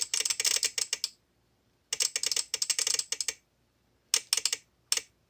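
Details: VXT-24 steam boiler water feeder, about two years old, water dripped on manual feed switch to simulate leak: sharp dry clicks in uneven clusters, no motor hum; shorted switch chatters the relay, opening the valve and flooding the boiler.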